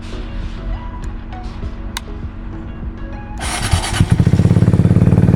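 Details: Kawasaki Z125 Pro recovered after theft, with tire patched and brakes fixed. A few clicks, then the small single fires straight up and holds a quick, even putter at idle; it starts and runs fine.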